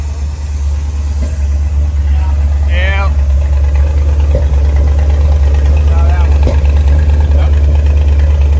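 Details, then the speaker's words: Long-neglected V8 dually truck, bought in 2021, just after a valve adjustment to cure lifter tap: steady, even idle at about three pulses a second with no ticking on top, the valvetrain quiet and smooth; vacuum leaks were found afterward. "Just enough that we can not hear the lifter tap. Yeah. That sounds nice. Sounds a lot smoother."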